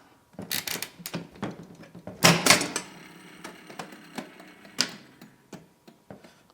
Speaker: Eventually they'll stop. Sounds like the brake was not kicking in properly.